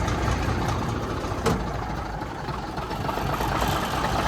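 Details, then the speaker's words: 1965 Mack B61 turbo Thermodyne diesel, just restarted after fuel-line leak repair drained the line and a filter: rough, lumpy, uneven idle with air in the fuel, smoothing out as it refills. "it's going to take a second to even out cuz a lot of fuel drained out of that line when I fixed it um I think that line runs right over the filter and it drained a good bit of one filter so sounds like it's smoothed out already though"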